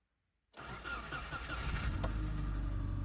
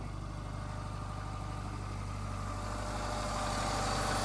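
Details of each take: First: Subaru Impreza project car, started cold: a quick crank and it catches at once, settling to a steady, even low idle. Slight piston slap from being cold; no valve rattle heard. A healthy start. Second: Subaru Impreza project car just started cold, idling with a light, uneven knock over a steady hum; owner calls it a little piston slap because it's cold, likely to fade as it warms, cause not confirmed.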